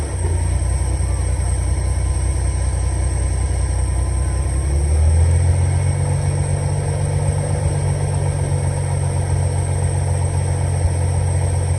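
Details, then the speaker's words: 300 inline-six after carburetor rebuild and idle mixture screw adjustment: steady, even idle with a smooth low rumble, settling slightly deeper when put in gear; runs clean, normal idle. "it runs and it runs pretty darn good if I do have to say so myself"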